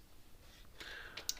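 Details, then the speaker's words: Gallagher S20/S50 fence energizer module circuit board powered on after ants that had shorted it were cleared: sharp, regular clicks, pulsing normally. "So far it sounds good. It's clicking right along like it's supposed to."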